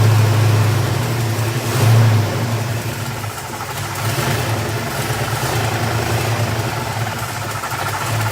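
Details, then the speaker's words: 428 Cobra Jet V8 in the Lethal Cat, first start since a 2014 engine fire: lumpy, uneven idle with throttle blips and a wandering rhythm; carburetor bowls leak fuel, rough running, needs carburetor tuning. "we got a fuel leak but it does run because you heard it mm-hmm and this is why we have to do first we have to tweak it a lot"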